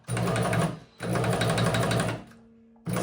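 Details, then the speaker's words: Knocking noise while running a Shark EuroPro X 605 sewing machine after the bottom section was cleaned and oiled: fast stitching clatter with a dull knock each cycle, moving better than before. The source is suspected to be in the top, not yet found. "has a bit of a knocking noise, but it's moving a lot better."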